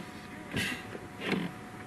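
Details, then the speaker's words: 1982 Jaguar XJ6 Series 3 at quiet idle: two short hissing squeaks about 0.7 seconds apart as the brake pedal is pressed; owner says it's not a good sound from the brake booster. "It's not a very good sound from the brake booster."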